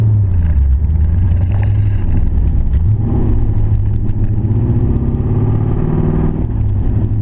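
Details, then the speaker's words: Camaro engine after losing power at WOT, dies off throttle, slow to crank: rough running with low chatter/knock under revs, sewing-machine sound, oil pressure gauge reads poorly, no smoke; owner suspects spun rod or main bearing. "some kind of chatter kind of knock in there full pressure doesn't look real good on the car gauge"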